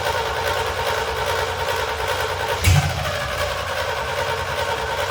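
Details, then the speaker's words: C65 dump truck, replacement V8, HEI contacts polished, throttle held slightly open. It turns over and runs ragged, with a thump and stumble midway. Rough running; the GM electronic carburetor, whose throttle lever was not connected to the blades, was then removed. "So obviously the truck wasn't running quite right."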